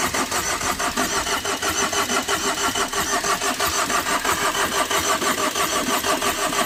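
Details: Tata Vista that overheated after an underside impact knocked off the radiator hose: starter cranks steadily at about ninety beats a minute, even and unbroken, but the engine never catches after about two cranks; crank-no-start, owner fears battery drain.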